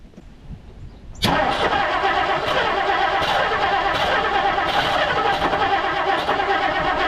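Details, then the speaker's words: 1959 Plymouth Savoy with a new cheap aftermarket carburetor, primed, battery at 12.37 V. Steady, uneven cranking at about three beats a second that never fires. Crank no start; weak spark suspected, plus a possible flywheel dead spot and choke not hooked up. "guess nothing I'm kind of at a loss um definitely sounds like it's getting spark I mean it could be weak spark"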